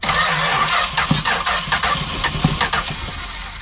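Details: 1967 Travco 220 RV with big-block Chrysler, parked since 1988, cranked after replacing a dead coil (firing order possibly wrong): starter churns unevenly with a few sputtering puffs, never catches; no fuel reaching it, fuel pump not run in a while; crank no-start.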